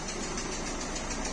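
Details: Peugeot 3008 1.6 eHDi 112 hp diesel at idle: a rapid puffing hiss on every firing, worse when driving, with exhaust gases and smoke escaping under the bonnet. Pressure is escaping.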